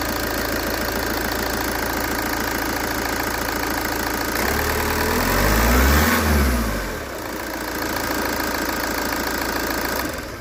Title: VW 2.0 TDI engine scratchy/grinding noise